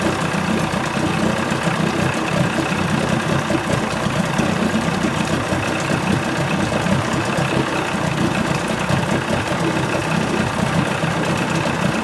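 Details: 1980 Chrysler 45 hp two-stroke outboard idling after the crank-no-start complaint: even and steady with no knocks, misses or surging; responsive, nothing found wrong.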